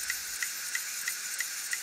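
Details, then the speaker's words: Hitachi Deskstar 7K250 hard drive with a head crash, powered with cover open: sharp, even ticks about three a second over a steady spinning hiss as firmware fails to park the heads; crashed-head clicking. "There's the ticking noise again. Looks like the firmware is trying to park the heads to protect the platters but it fails"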